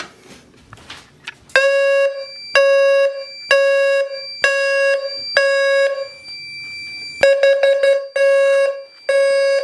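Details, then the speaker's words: Fire-Lite MS-2 panel set to Gentex sync with a new low-frequency alarm lacking a Gentex GTSM sync module; loud square-tone horn blasts in threes then a broken run, garbled mix of temporal-3 and temporal-4. "however when they're receiving gentech sync for my panel it kind of screws it up a little bit so it tries to do temporal three and temporal four"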